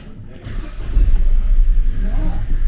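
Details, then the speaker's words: 2018 Vauxhall Crossland X with 33,000 miles, previously with a horrific engine noise, started after the air conditioning was serviced and refilled: quick crank, then a smooth, even idle with no squeal or rattle; noise gone. "listen that already it's perfect"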